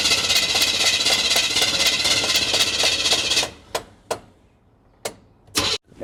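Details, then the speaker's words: 1976 Chevy half-ton after a new fuel pump was fitted: steady cranking at about four beats a second that never catches, then stops; fuel isn't entering the carb, suspected plugged carb inlet filter or stuck floats. "so either that fuel filter up on the carb is plugged or the floats are stuck because no matter how much gas we put in it and run it it'll run but as soon as it runs out of gas it quits"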